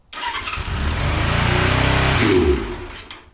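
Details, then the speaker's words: 1977 Suzuki GS550 café racer four-cylinder after carb cleaning, started on choke: fires, revs climb unevenly for about two seconds, then fade and die; cause found to be the carb throttle shaft fitted backwards, later rotated 180 degrees. "I got kind of annoyed, and what was happening is it would start, it would idle on the choke, and eventually it'd start running without the choke."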